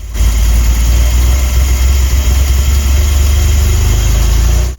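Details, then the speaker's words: DeLorean DMC-12 with Bosch K-Jetronic fuel injection, pre-warmed to the first gauge line and with worsening starting this season: deep, uneven idle sagging almost to a stall, then recovering, repeating while slowly improving as it warms. Hunting idle near stall. "So, we'll give a listen almost to a stall. [Music] and then a recovery. This oscillation of almost stalling will continue to repeat in a cycle,"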